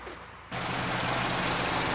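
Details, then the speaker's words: BMW 320i N46 engine after clearing fault codes (catalyst, injection pulse over learning limit): runs rough and uneven with a hard, jackhammer-like metallic knock throughout; engine expected to come out. "E aí galera o carro tá funcionando aqui ó mas escuta um barulho aí carro não tá legal tá meio quadrado e funcionamento dele"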